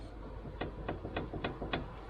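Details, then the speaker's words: 1979 MG Midget 1500 under overhaul, propshaft rocked by hand from underneath: five sharp metallic clicks from free play in the worn universal joint cups, which will vibrate badly; the propshaft has to come off. "and rotate it 90° so basically this cup and this cup something's Gone Big Time wrong in there so that's going to vibrate like anything so I need to take the prop shaft off"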